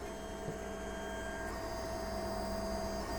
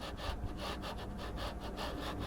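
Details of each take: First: JGMaker Magic 3D printer, bed at 50 and nozzle at 200, printing from SD card after first-try leveling: steady soft stepper whir with constant tone, no knocks or grinding; first layer going down smoothly. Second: JGMaker Magic 3D printer: a dry rasping scrape that surges as the bed moves back and forth, roughly twice a second; the linear bearings are noisy on the rods, and a little oil may quiet them.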